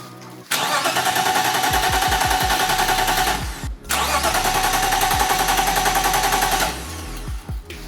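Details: BMW E30 while diagnosing the camshaft position sensor and missing trigger signal: steady, fast starter whirr in two bursts of several seconds, never firing. Cranks but won't start.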